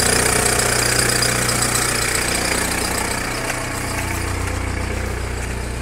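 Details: VW Caddy diesel cold start after sitting half a year, glowed several times before cranking: steady, even idle clatter about three beats a second with no misfire or stumble; runs healthily.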